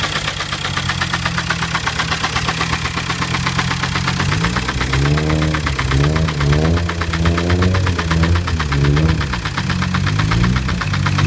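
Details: 2006 VW Jetta TDI diesel idling with steady knock about four a second, first time running; cause unknown.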